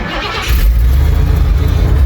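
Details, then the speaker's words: 1977 Ford F-250 with fuel-injected 460 big block and E4OD overdrive transmission, headers leaking slightly; catches quickly into a deep, steady fast cold-start high idle with even rumble that comes down, no misses; normal cold start with high idle. "you got that high idle comes down awesome love that"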